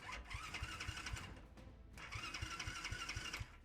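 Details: Alpha moped, won't start after ride: starter spins engine at about four even compression pulses a second but it never fires; owner suspects old carburetor, unconfirmed.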